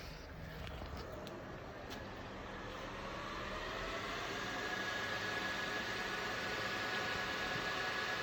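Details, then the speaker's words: Bitmain S19J Pro 104TH crypto miner, just plugged into the PDU at first power-on: steady rushing air grows louder over several seconds as the fans ramp up, then settles into a smooth whine; normal spin-up. "we're plugged in. It's gonna start firing up. It's gonna get a little bit louder. Alright guys, fans just picked up a little bit."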